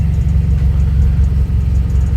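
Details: Turbo car just fitted with a blow-off valve and Accessport, after BOV adjustment with AFR about 14.5–14.85 and no check engine light: steady low rumble with even beat, no knocks or ticks, settling back to a smooth healthy idle.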